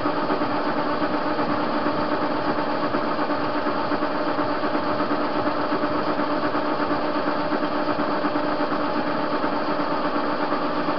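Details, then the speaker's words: TV-16 lathe turning a hinge pin down to 11 mm, unstable bed: steady hum with a faint, fairly regular knock about 80 times a minute; play in the chuck knocking. "Станина неустойчивая, и люфт в патроне есть. Слышно стучит."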